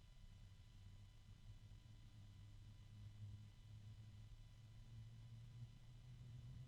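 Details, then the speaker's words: Noiseblocker NB-Multiframe M12 DP case fan at about 2,000 RPM; steady low-pitched hum with a soft, even whoosh and faint bearing ticking, not very noisy; normal fan hum. "that's pretty good not terribly noisy with 2,000 RPM so it's on par with the the noctu NFA 12 by 25 as we shall momentarily see"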